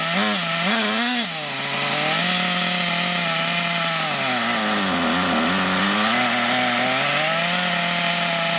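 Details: Thunder Tiger EB4 S2 Pro nitro RC buggy, eBay shed find stored for years, engine hot, reasonable compression; high buzz whose pitch hunts up and down, uneven running; possibly short on nitro fuel supply.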